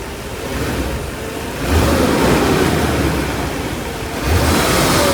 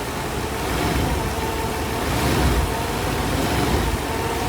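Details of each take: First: 1991 Mercedes 500SL (R129, M119 V8), warm, with a high idle once warm: after each throttle blip the revs hang high and sink slowly back to idle. Owner unsure of the cause and wonders about the idle control valve. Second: 1991 Mercedes 500SL (R129, M119 V8), fully warm after about 25 minutes of driving; the owner reports a high idle once warm. Here a steady, even low rumble with no knocks or misses: normal warm idle.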